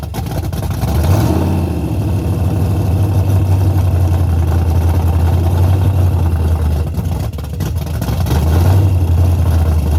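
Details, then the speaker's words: Henry J drag car with a V8, parked since 1977, first start in decades after battery charging; loud, deep, steady rumble that holds even after a brief rev, firing and running cleanly: normal running. "Look how loud it is. That was way too easy."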